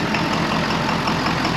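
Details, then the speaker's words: 2011 Ford F550 6.7 Powerstroke diesel, no codes, blowing return lines apart: heavy idle with sharp, regular knock on each firing cycle; injector suspected to have spilled. "we can hear a pretty [Applause] distinct sound I believe what that sound is is an injector has spiled"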